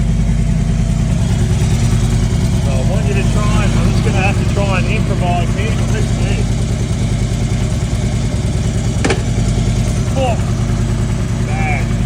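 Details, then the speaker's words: Harley-Davidson V-twin idling in gear: an uneven rumble with a rough, strained clatter underneath. The automatic primary chain tensioner has set the primary chain too tight, loading the compensator-to-clutch driveline; it will be reset or replaced with a manual tensioner. "Bad. Alright, so this is the culprit. It's just too tight."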